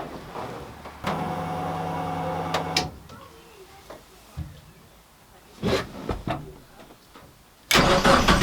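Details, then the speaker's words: Car cranks steadily for about two seconds but never fires, even with the fuel pump relay bridged so the pump runs continuously. Earlier the relay was clicking in and out and running hot. Owner concludes the part is dead. Crank, no start. "It won't start now, even with the fuel pump on continuously."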